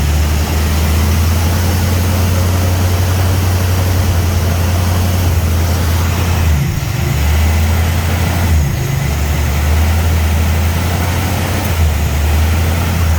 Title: hard start then surging idle